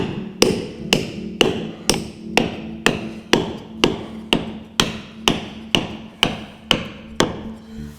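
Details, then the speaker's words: Restoration of the 1957 Laurent Giles yawl Susanna, caulking the hull seams with cotton: crisp mallet strikes about two a second, each ringing like solid wood rather than a dull thud. The cotton is fully set. "Hear that? Sounds like I'm hitting wood. Yeah. That cotton's done. Don't sit there and bang on it. You're done."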